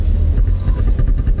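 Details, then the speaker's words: Volvo P1800 classic garage find, about 40 years old, driving with no brakes: low driving rumble with uneven thumps under load; the gearbox is knocking. "you can hear the uh the gearbox yeah it's it's knocking but i mean that's just fix"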